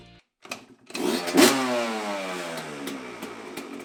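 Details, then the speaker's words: Yamaha YZ125 two-stroke after fresh top end (new Wiseco piston, Cometic gaskets, new spark plug), first start before break-in: catches first try with sharp rev falling to crisp, even idle; normal healthy start. "But we just got it started right up, no problem."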